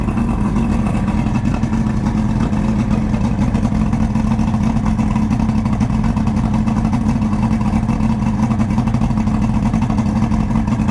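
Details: 1999 Johnson 200 hp carbureted outboard, cold start at about 70°F after sitting a while, using choke priming and quarter throttle: fast, even burbling beat holds steady with no stumbles or misfires; normal running.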